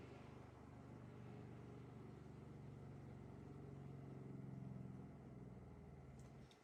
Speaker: on entend la pompe à eau qui aspire pendant quelques secondes le liquide du bidon d'antigel